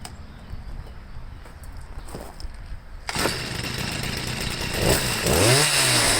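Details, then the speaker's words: Stihl sweeper with MM55 engine fitted with a Hipa C1Q-S97 carburetor: pull start, fires on first pull, revs cleanly and holds a steady, healthy two-stroke note; normal running. "it runs real good starts right up first pull let's start it up again"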